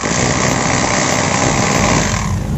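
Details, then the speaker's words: Bosch GBH 2-26 DRE SDS rotary hammer in concrete chiselling mode: fast even rattling chatter but soft, light blows lacking punch; drill lacks power and cracks concrete slowly. "pouvez voir par vous-même les résultats comme ça le coup de pied de la perceuse ne donne pas de coup de pied et il faudra plus de temps pour que le processus fissure le béton"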